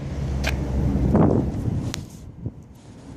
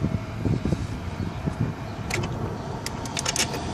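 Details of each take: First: 1995 Mercedes S600 electronic throttle (EGAS) computer test, recorded outdoors with ignition on: a few sharp isolated clicks, then nothing. The actuator activated three times but not the fourth, pointing to a faulty EGAS computer. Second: 1995 Mercedes S600 electronic throttle (EGAS) computer test: crisp clicks and short whirring bursts as the ignition is cycled. Throttle linkage and secondary throttle body both activate normally, though the unit is not fully seated.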